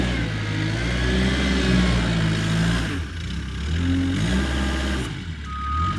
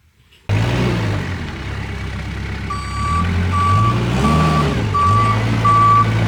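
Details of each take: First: Kubota 520 hydrostatic wheel loader, tested after a wiring-harness repair for being stuck in low range. The diesel pulls steadily under load with the reverse alarm beeping and revs holding without bogging; reverse drive pulls properly. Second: Kubota 520 hydrostatic wheel loader that won't reverse up a steep hill: reverse alarm beeps as the diesel labours and surges pushing backward into a pile, barely moving. Forward climbs with wheels spinning; reverse may be hitting relief.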